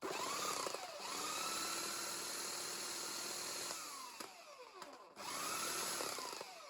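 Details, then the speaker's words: Bosch AHS 40-24 hedge trimmer, salvaged from a skip, after oiling the blades and tightening the screws: it spins up to a smooth, even buzz and restarts cleanly, with no grinding or catching. Normal running. "Let's try holding a side one. Yep, seems to work."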